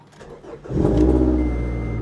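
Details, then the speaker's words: 2013 Scion tC manual at a salvage auction, 131,000 miles, aftermarket exhaust, nearly empty tank: short crank, catches at once and settles into a steady throaty idle; starts and runs healthy. "oh she's got a go fast exhaust she started right up 131,000 mil"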